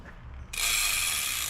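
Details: Sondors Rockstar e-bike rear wheel rebuilt with a new six-pawl Bear Pawls steel freehub replacing the broken three-pawl original: quick, even, high-pitched ratchet buzz while freewheeling; normal pawl clicking.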